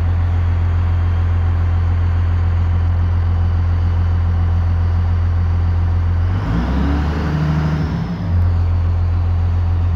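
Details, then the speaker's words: 1998 Dodge Ram 5.9L 24-valve Cummins (VP44), warmed up, after a defective ECM was rebuilt and installed to cure a crank-no-start: a deep, even diesel idle with a brief dip, then it settles smoothly; no check engine light. "so now this thing is uh cranking and starting no check engine light even when I very first fired it up"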